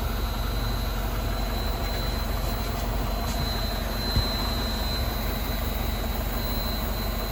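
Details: MINI Cooper R56 non-S idling: thin steady high-pitched whine from the center of the left fuel tank, mostly gone when the metal band is touched; appeared after replacing the charcoal canister; owner suspects an electrical issue.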